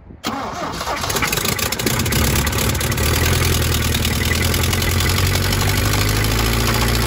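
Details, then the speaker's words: 1972 Toyota Celica 18RC, first start in 26 years on a rebuilt original carburetor, around 30–41°F: fires into a fast high idle with a faint tapping, possibly a light rod knock expected to clean up. "that was kind of a little bit scary but that wasn't a rod knock was it uh it might be a little bit of a rod knock but it should clean up right"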